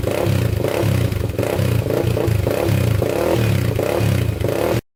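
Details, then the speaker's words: 1999 Honda 400ex single-cylinder after rebuild, breaking in: quick, even throttle blips snapping up and dropping back with a strong, clean bark, no smoke. Normal throttle response. "man that sounds good no smoke coming out the back so we're still good there sounds really good i'm gonna keep on flipping the throttle just to uh get this to break in here a little bit"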